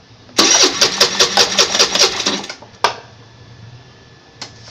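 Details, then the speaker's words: Scooter start test with a hydrogen setup, bubbler and water bucket, powered from a car battery: the starter cranks in even bursts for about two seconds, then the engine catches and settles to a soft idle. "हा, त्याने पूर्ण start झाली, त्याने पूर्ण hydrogen संपवला."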